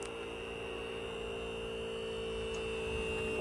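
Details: Sealine sports cruiser boat hydraulic trim pump after bleeding air from rams by cycling fully up and down: even electric hum with steady mid whine, no gurgling or stutter; running smoothly.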